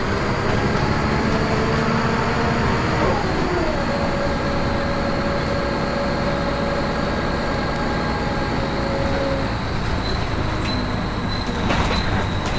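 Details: First Manchester Volvo B10BLE diesel bus 61241 (R339GHS), recorded 9 October 2010. A thin, strange, high-pitched whistling squeal shifts in pitch over the steady diesel drone and road rumble; source not identified.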